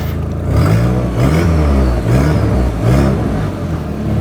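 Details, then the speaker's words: Audi TT being put back on the road with a newly fitted exhaust: repeated rev blips give a deep, hollow rasp and puffing chuff as revs rise and fall, from an exhaust leak at the downpipe. "but once that down pipe's fixed then we can actually get the true sound of the exhaust"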